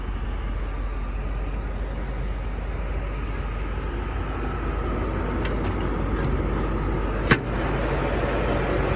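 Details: 1991 Mercedes 500SL R129 V8, about 73,000-75,000 miles, rarely driven; idle with engine and fan running, steady even low rumble with no knocks or misses under smooth fan hiss, idling cleanly.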